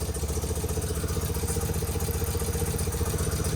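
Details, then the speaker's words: Motorcycle first started after sitting 20+ years, with a little throttle: slow, lumpy putter at about four beats a second, sounding like it is firing on only one cylinder; timing to be checked, cause not confirmed. "Giving it a little bit of gas up here. Sounds like it's firing on one."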